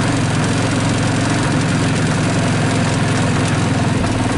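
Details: 2014 Linhai Big Horn 400 UTV after starter wiring, solenoid, battery and cooling-fan repairs: low even idle thump holding steady with no misses and no fan whir, as the fans are off; engine running smoothly.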